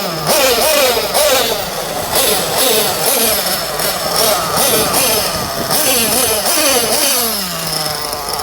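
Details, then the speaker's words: Jammin JPX 21 nitro engine with Pico head in an RC truggy, just warmed up, carb tune on the rich side: thin high buzzing idle wandering up and down; slight two-stage idle, owner expects it to stabilise once hot. "Tune is on the rich side, so I have a slight two-stage idle. But that's fine for now."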